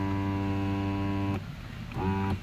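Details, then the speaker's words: 2017 Chrysler Pacifica passenger-side window with the key on: the motor hums steadily over two switch presses but the window doesn't move, as if the motor has detached from the regulator; stripped window motor gear. "No window motor operation, but you can hear, whoa, you can hear the motor running, but no window operation. It's like the motor has detached itself from the regulator."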